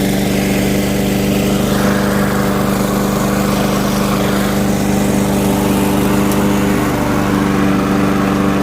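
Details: Curbside-found Weed Eater walk-behind mower running after a checkup (air filter loose, has oil); an impact had broken the flywheel key. It holds a steady, even single-cylinder buzz at constant speed with no surging or misfires, normal running; plan is carb tidy, rinse, oil change.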